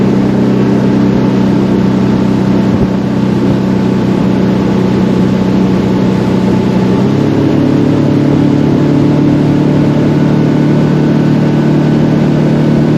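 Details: Center console boat outboard, unused a long time, on plane with old gas at unchanged throttle: steady drone then pitch drops and shifts around seven seconds as power is lost; stale fuel, fixed by running it out and refilling fresh.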